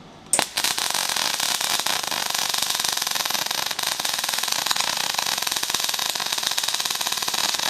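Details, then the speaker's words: MIG welding with 1mm wire: harsh, rapid popping crackle, wire speed too fast and too cold; wire feed not adjustable, so it is to be backed down to 120 amps. "Flipped it over and told her that it's got 1mm wire in it, and still wire speed too fast and too cold."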